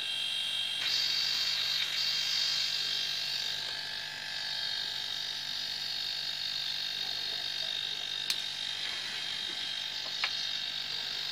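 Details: Steady, high-pitched electric hum that holds even without stumbling from a homemade compressor built from a refrigerator compressor motor while it fills a car tire. Normal running.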